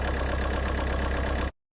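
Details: 1.6 HDi diesel at idle; steady, sharp metallic knock about eight times a second over the diesel idle. Connecting rod bearings worn out.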